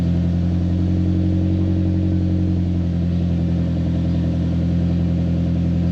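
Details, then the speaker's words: 2011 Mitsubishi Lancer Ralliart parts car, 63,000 miles, no reverse but motor said very healthy: deep, even rumble holding steady with slight pitch shift, no ticks, knocks or misfires; normal idle. "The only real hiccup is that it has no reverse. But other than that, I mean, the motor's very healthy."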